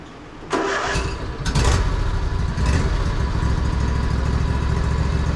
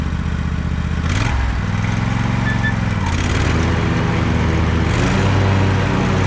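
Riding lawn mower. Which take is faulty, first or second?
first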